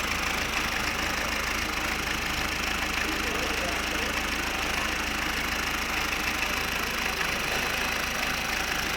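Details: 2003 Fiat Doblo 1.9 JTD diesel, 248,000 km, twice rebuilt, after repairs including new coolant hose, no water leaks: even diesel clatter at steady idle, regular beat, no misses or knocks; healthy idle.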